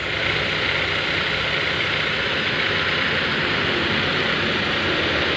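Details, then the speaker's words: BMW E46/E36 engine just started, still cool, at idle before AC is switched on; smooth, even, steady idle with no lope, knock or rattle, judged fairly smooth; rough sound would point to the pulleys. Normal idle. "Sekarang kita nyalain mesin untuk kita cek lebih lanjut suara mesin dan idle. Kalau suaranya kayak gini, ini bisa dibilang lumayan halus."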